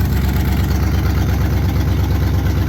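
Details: 1968 Pontiac Firebird 400 V8 first run since 1986 after points cleaned and gapped and carb bowl pre-filled: deep, steady rumble with even firing pulses, no misses or knocks; idling smoothly.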